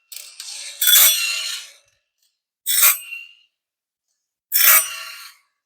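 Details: Woodland Mills RS30 Pro bandsaw sawmill blade sharpener, switched from slow to high speed: short, even bursts of high-pitched grinding roughly every two seconds, each fading cleanly; normal sharpening.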